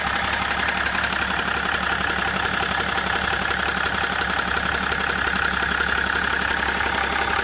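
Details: 2004 BMW E61 535d diesel idling steadily with a regular knock, about three per second, loudest at the front of the engine near the intercooler; cause unknown.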